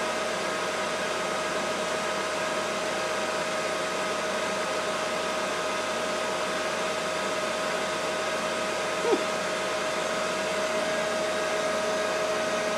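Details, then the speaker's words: AC inverter-duty motor on a Hitachi VFD, replacing the BLDC spindle motor on a Mikini 1610L, at full speed, 120 Hz (roughly 5200–5500 RPM): steady airy rush with a constant mid-pitched whine, just the motor's top-mounted cooling fan; normal. "okay that's full speed there 120 HZ should be about I forget I think it's like 5200 RPM or 5500 something like that if my math is right so all that noise is just the fan on the top of the top of the AC [Music] motor"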